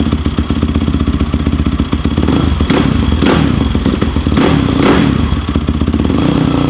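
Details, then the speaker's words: Yamaha YFZ450 quad after full rebuild including starter clutch fix, idling: loud single-cylinder idle with heavy thumps and clatter bursts about every half second; owner dislikes the noise, cause unidentified. "See, I don't like that noise it makes right there."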